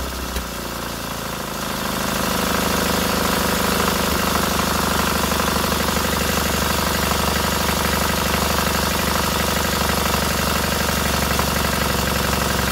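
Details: Freshly rebuilt K750 twin on first start-up, after a minor ignition fault stopped an earlier attempt: after a short start it settles into a steady, even beat with no misses or knocks, both cylinders firing cleanly and heating equally; normal idle.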